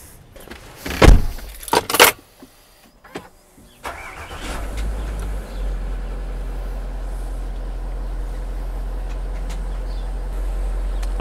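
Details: Land Rover Range Rover L322 4.4 TDV8 after refitting an airbag and new damper to fix an air leak: clunks, then steady low drone as the compressor raises suspension to off-road height; normal compressor operation.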